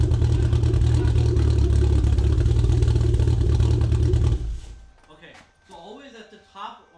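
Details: MK4 A80 Toyota Supra Turbo after a new wastegate and dump pipe were fitted to cure a leaky wastegate: a deep, steady exhaust rumble with an even pulse and no hiss or chuff of leaking exhaust, then shut-off; the wastegate now seals properly.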